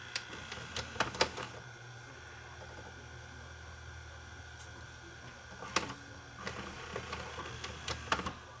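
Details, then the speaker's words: JVC HR-FS1 vertical-standing VCR: quiet whir broken by sharp mechanical clicks and clacks, then a stalled buzz when fast forward is tried; broken main cam jams the transport (plays, rewinds and ejects fine otherwise). "Yeah, it's the main cam's broken on this thing."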